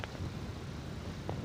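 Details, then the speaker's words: TV that will not power on, pressing buttons does nothing; from the speaker a low, rough grunting rumble like someone with a stomach ache, set stuck in standby; some power-stage fault suspected, source not yet found before opening the back. "dan di speakernya ini terdengar bunyi kru kaya orang sakit perut teman-teman itu ya aduh tuh ada bunyi seperti itu ya teman-teman tuh ya Ah seperti itu bunyinya kayak orang masuk angin"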